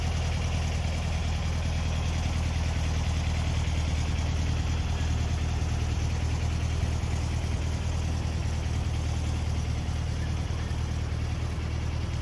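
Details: 1964 VW Beetle, 64K original miles, air-cooled flat-four warming up as the electric choke kicks down: steady even low thrum, no knocks or misses. Normal idle.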